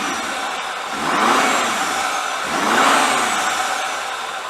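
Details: 2017 Ford F250 after No Limits Fab cold air intake install: two smooth rev blips with strong intake whoosh, no knocks or misfires; normal revving.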